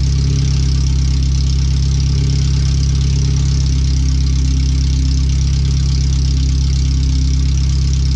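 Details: First startup after replacing the header and fuel filter, with O2 sensors relocated, a wideband bung added and wiring rerouted; idling on the header only before the rest of the exhaust goes on. Very loud, deep, steady, unmuffled idle that runs evenly. The computer reads 5–7% rich.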